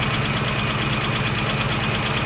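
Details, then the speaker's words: 1969 AMC Javelin 290 V8, carbureted, cold start after sitting about six months, fuel leaking at the accelerator pump: light, quick ticking over a steady idle; owner thinks one lifter needs to pump up. "so I got looking it sound like one of the lifter need to get pumped up where it setting right there"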